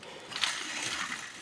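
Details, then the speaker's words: Removed Duramax truck alternator spun by hand: short, dry, gritty rasp, the same noise heard in the truck at start-up; alternator shot; worn alternator bearing. "what I was hearing in the truck when it first started. So, she's definitely shot."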